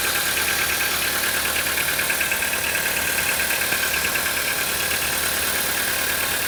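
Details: Cold-idle knock on a CFNA engine: sharp, fairly regular light ticking, about two per second, over a steady cold idle, continuing until the engine warms up.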